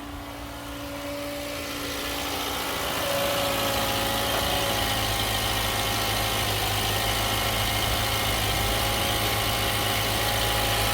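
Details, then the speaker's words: 4-cylinder engine, dead-cold start, clean full oil: fast even metallic chatter over idle easing slightly as it settles; suspected timing chains or a VVT actuator, not confirmed. "Okay. So the motor's dead cold. Woo! There we go. That's timing chains."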